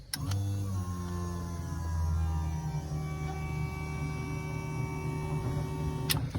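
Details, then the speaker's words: Toyota KE30 Corolla project, first fuel system fill before first start, no back seat so louder: steady electric hum about six seconds, even pitch, clean start and stop; fuel pump primes normally, no leaks found. "sounded like a picked up fuel let's check the engine bay no lakes no lakes no lakes and no like so far"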